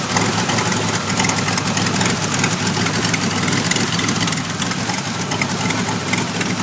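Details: 1991 Pontiac Firebird V6 still setting codes 33 and 43: idle with an uneven, lumpy beat and loose wavering rhythm instead of a smooth hum; rough idle, cause not yet found.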